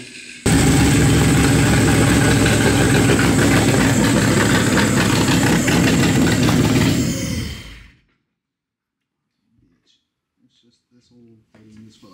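A big V8 catches and runs about seven seconds with an uneven, loping beat and some spitting, then dies; rough first-start running, cause unknown.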